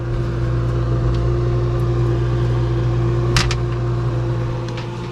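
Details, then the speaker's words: Free refrigerator's fan, which had been vibrating and noisy, after its rust was cleaned off and it was reinstalled: smooth low steady hum with a faint even tone, no scraping or rattling; significantly quieter, normal fan operation. "okay well actually it's significantly quieter isn't it that seems quieter you know before you could hear the noise like right here right where the thing is"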